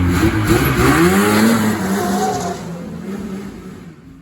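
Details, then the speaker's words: 1980 Ski-Doo Blizzard 5500 two-stroke snowmobile, first run in many years: revs blip up, then sag and fade until it dies within four seconds; won't hold an idle. "It won't idle, it just shuts itself off."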